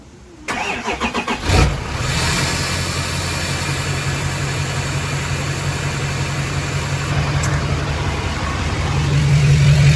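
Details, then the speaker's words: 1971 Chevy C20 with a Duramax diesel swap, first start after fixing the gauge wiring by untapping and wiggling the wires: about a one-second crank, then the diesel catches and settles into a steady, even idle. A normal, healthy start. "I had the Prindle light as soon as I turned the key over to start this thing cranked up and started right up"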